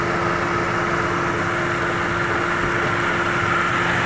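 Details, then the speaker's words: Mercedes W211 E200 petrol idling in neutral after repair: steady, even, smooth hum with no misfire; earlier severe misfire from water-damaged plugs and coils, fixed by cleaning coils and plugs. "माशाल्लाह जी, ये जो है ना, जो मिसिंग थी वो बिल्कुल ख़त्म हो गई है, बिल्कुल गाड़ी स्मूथ हो गई है, बिल्कुल, यानी कि कोई मिसिंग नहीं पा रही"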